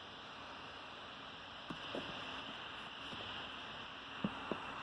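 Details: HP Pavilion x360 convertible 2-in-1 laptop: constant airy rush with steady high whine, no speed change; cooling fan running loud.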